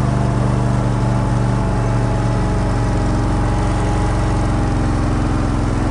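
Engine idles with an uneven, lumpy beat and no steady rhythm underneath; it's running rough, cause not evident.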